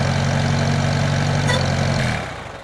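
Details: 1978 International Harvester Cub tractor with a key start, started on a rainy day: an even, steady low idle with a smooth, regular beat and no knocks or misses, then it winds down; good oil pressure, engine healthy.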